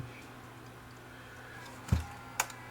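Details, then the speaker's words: Panasonic SV-255 portable DAT recorder, free and faulty, tested before opening: over a low electrical hum the tape mechanism gives a short clunk, faint click then goes silent, and the clear button flashes; transport tries to load and gives up. "so I hear it trying to do something and then it doesn't do anything and just to stop"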